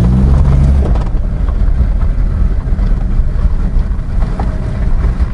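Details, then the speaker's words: Honda CR-V, rear differential after cleaning and refill with new oil, steering at full lock: low even vehicle rumble with no creak, squeal or whine, so the differential noise problem is considered fully fixed. "звуков из редуктора нет то есть можно считать эту проблему побежденной полностью то есть все работает все подключается ничего не воет руль до конца тоже влево и никаких неприятных звуков"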